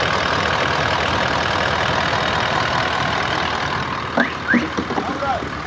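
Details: Toyota Land Cruiser: an even, steady idle with a smooth low rumble and no knocks or misses. The engine runs cleanly.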